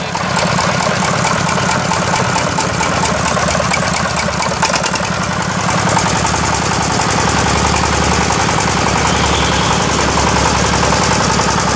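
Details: Yamaoke ZS1100 16 hp (16.5 hp max, rated 2200 rpm) direct-injection single-cylinder marine diesel on test: steady chugging at about three to four firings a second, no knocks or misses; normal running.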